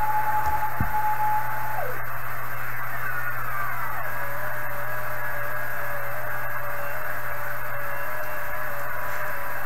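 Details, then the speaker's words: 1980s Kenwood TS-430S after Kenwood's relay-contact procedure, antenna reconnected, stepping the 1 MHz switch mid-afternoon: clear hiss with digital-mode data tones drifting in and out, level changes from signal on antenna not the radio; working properly. "so i i think the variations in volume there are from the signal level on the antenna now not the radio anymore"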